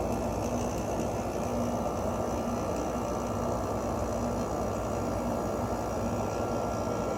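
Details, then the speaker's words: Emerson Quiet Kool 6,300 BTU window air conditioner: compressor failed to start at first, ran on fan and warmed with a heater, then started; even low compressor and fan hum, no rattles, clicks or squeals; normal running. "maybe let it run on fan for a bit and see if the compressor starts there it goes I love the way this one sounds"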